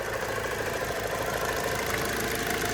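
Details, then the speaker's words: 2002 Hyundai Accent with a transverse engine at idle: fast, light tapping that keeps time with engine speed and seems to come from something external; source unknown, with an oil change and spark plugs planned. "But it sounds like it's like right here. Like, almost sounds like something right here externally is tapping."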